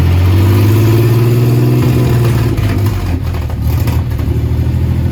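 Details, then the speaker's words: 1967 Jeep CJ5A with Dauntless V6, dual exhaust, just revived after sitting in a garage: deep, steady engine drone settling into an even rhythm with no knocking or misses; normal idle. "It's alive. $0, folks. Drive it home today. Purrs like a kitten."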